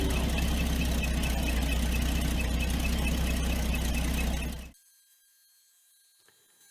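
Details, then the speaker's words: 1983 Toyota Land Cruiser FJ60 with 2F inline-six, engine hot, coolant found leaking at the water pump, which was then replaced. A thin, steady high squeal over an even idle until shutdown; water pump bearing squeal. "the engine is hot and it sounds like the water pump is going"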